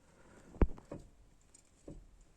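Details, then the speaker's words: Mitsubishi Galant 2.0 GDI 4G94, front forged control arm levered: three dull uneven knocks from the rear ball joint, which has large axial up-down play and has failed; bushings basically fine. "то есть он в шаре очень сильно стучит именно во втулке твой шар вниз и вверх по осевому перемещению очень сильно люфтит"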